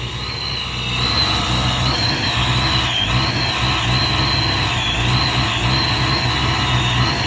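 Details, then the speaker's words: Supercharged Saleen Mustang, first cold startup, 12–14 inHg vacuum, running rich on cold enrichment: high steady supercharger whine over a lumpy uneven idle; rough idle from rich cold-start tune. "But as you can see, that's what it is right now. You can hear the whine from the supercharger."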